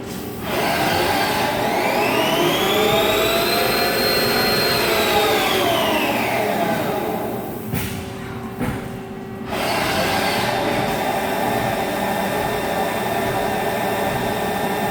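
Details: Haas ST-20 CNC lathe spindle: steady hum with a high whine rising and falling with spindle speed, plus a rough undertone, louder over time. Parting-off finishes on the back side are inconsistent, as if the part moves in and out. Owner suspects spindle bearings going bad.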